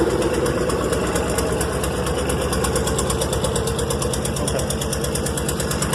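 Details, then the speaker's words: Rolls Royce engine at low idle in gear with brake lights stuck on; heavy uneven pulse about two per second, struggling against dragging brakes; brake actuation valve springs suspected. "nothing you can hear it struggling the sinking I see me struggling get the great pressure"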